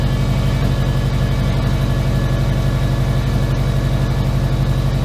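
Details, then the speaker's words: Subaru Impreza rebuilt engine with SOHC heads and new wiring and exhaust, on its first start after the build. Deep, even low pulsing at a steady idle after it catches. Starts and idles cleanly with no leaks or wiring faults. "The main goal was to get this thing to start and run, and it started and ran."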